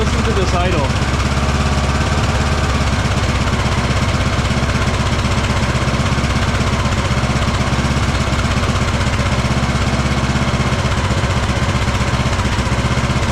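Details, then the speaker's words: Craftsman DLT3000 lawn tractor, single-cylinder engine after valve adjustment, new coil, fuel filter and twice-cleaned carb: uneven hunting, stumbling idle, fine at full throttle; owner suspects carburetor, possibly air leak or head gasket. "kind of running all over the place right now. The idle is really bad."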